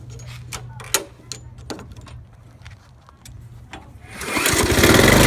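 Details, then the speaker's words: 1997 Murray 22-inch mulching mower with 4 HP Briggs & Stratton Classic engine, after carburetor clean and rebuild, new air filter and plug, idle fine-tuned by ear: quiet ticking then loud, steady, full run; normal running. "so I'm gonna run it now and you're gonna hear it runs louder a better pasture"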